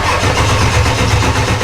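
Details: Wrecked Duramax diesel swapped into a K20 truck, first start attempt on jumper cables: rapid pulsing starter cranking, even and unbroken, never catching; weak battery supply, no start until more charge was given.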